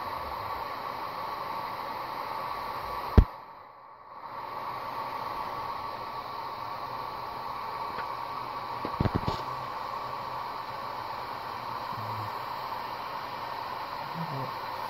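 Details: Marq Gesture Wash 102 moving-head wash light with its original sleeve-bearing fan and the cover on: steady whiny fan hum, louder than it should be, about 75–76 dB. The bearing is noisy; it is replaced with dual ball bearing fans.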